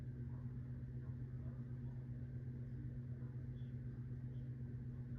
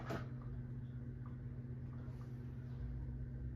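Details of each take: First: 1980s Supreme Mark VI ceiling fan, rebuilt with Casablanca blades and Zephyr irons, on high speed: steady 60-cycle hum with scattered sharp ticks every second or two from the motor. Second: 1980s Supreme Mark VI ceiling fan, rebuilt with Casablanca blades and Zephyr irons: a soft, steady low 60-cycle hum at one pitch, which is expected of these fans; normal motor hum.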